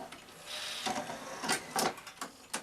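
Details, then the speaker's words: Sanyo VTC-MH5 NTSC Beta Hi-fi VCR after power supply repair, loading an empty cassette shell: quiet whirring with sharp clacks at an even, steady pace, possibly a shade slow. Normal cassette loading. "that sounded much better didn't it yes that's much more sensible with motor speed"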